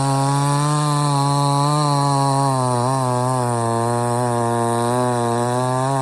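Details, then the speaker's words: Budget Temu chainsaw cutting a partially rotted but substantial stump: steady high buzz sagging slightly as the chain bites and picking back up; cuts through easily, starts easy and runs strong, healthy. "as you can see, this is partially rotted, but it's still pretty uh substantial, and it didn't even hardly phase this thing."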